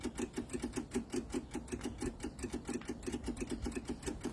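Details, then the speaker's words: MEP-002A military diesel generator, unused for decades, with rusty fuel, engine off before glow plug preheat: steady quick ticking about six clicks a second as the electric fuel pump primes and clears air from the fuel lines. "so what we want to hear is we want to hear this the fuel pumps click that sound like it had a little ear in it that click a little bit"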